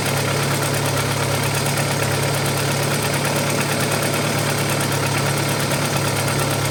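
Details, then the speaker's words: Audi 80 B4 2.0 petrol, cold idle after fixing oil-pressure gauge adapter leak and air lock: light, fast ticking over steady hum, roughly three taps a second; owner concludes it is likely a hydraulic lifter. "По ходу дела всё-таки гидрик."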